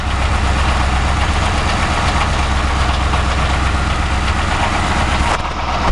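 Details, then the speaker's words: 2006 Ford Crown Victoria Police Interceptor idling, recorded from above the radiator near the catalytic converters; engine visibly shivering, steady low drone with faint shudder, no clear knock: rough idle, cause not evident. "oh man so hear that noise listen i'm right at the catalytic converters yeah it's running but as you can see the engine is shivering"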